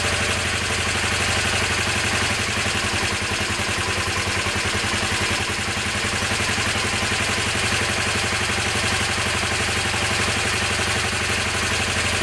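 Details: Honda CB250N twin, stone cold on choke, right carb idle circuit worked on, backed out 2.5 turns: good start, steady even idle around 230 pulses a minute, crisp exhaust, both exhausts warm; healthy on both cylinders.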